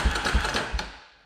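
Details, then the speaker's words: 2003 Polaris Predator 500 engine spun over during compression test: three uneven, rough, weak mechanical chugs then coasting to silence; only 110 psi compression measured, abnormal cranking noise. "okay, that doesn't sound that great when you spin it over. And looks like it only has 110 psi."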